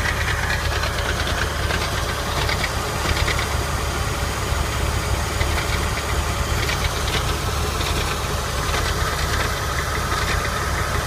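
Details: 1999 Porsche 996 running, recorded under the car directly below the engine/transmission: loose, uneven rattle clattering over a low drone; cause unknown.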